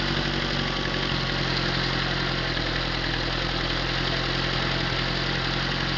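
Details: Atomic 4 inboard engine overhauled last summer (new pistons, rings, valve springs, plugs, wires, higher-flow water pump), run without choke on a test stand for a 17-foot homemade wooden boat, alternator off: steady, even low rumble, no knocks or misses; normal idle.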